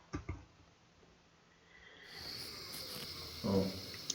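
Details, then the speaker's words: Water leak under a stairway floor near a shoe cabinet, after digging down: a steady high hiss audible by ear, confirming the leak spot. The Acorn pipe had burst where the binding wire pressed on it. "그래서 파기 시작하고 어느 정도 파니까 귀로 누수음이 들리더라고. 그건 100%거든요. 귀로 들린다면"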